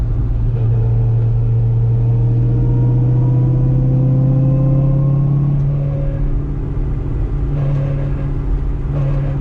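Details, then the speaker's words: 2005 Corvette C6 fitted with a low-mileage rebuilt 2006–2013 differential, fifth gear at 50 mph after fresh gear lube: faint whine appears under light throttle and vanishes when coasting; failed differential whining under load. "So we're in fifth gear, 50 mile an hour. Coasting, it's fine. Hopefully you can hear that whine as I get on the gas."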